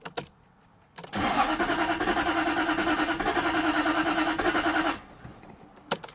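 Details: 2001 Jaguar XK8 coupe, not started in ten years; starter spins engine steadily for about four seconds but it never fires; scan shows bank 2 camshaft sensor signal not changing.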